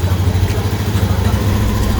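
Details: Honda Beat FI (Beat Street) scooter with a hard-starting, sudden-stalling, lost-compression complaint, engine cold; small single-cylinder settles into a steady, even putter with no knocks or misses, sounding healthy.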